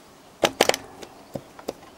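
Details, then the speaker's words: Xcontrol 1 bike frame: sharp metallic clacks in uneven bursts as the rear is loaded; the rear shock mounting bolt has snapped. "gros claque à ce niveau là voilà vous l'entendez ben en fait vous avez vu la lys elle doit être cassé"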